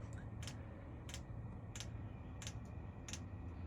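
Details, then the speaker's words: Chinese diesel air heater just installed in a Freightliner semi truck, first start at setting H6: sharp, even clicks about every two-thirds of a second as the fuel pump primes fuel before ignition. Finding: normal fuel pump clicking during priming. "Priming that fuel up."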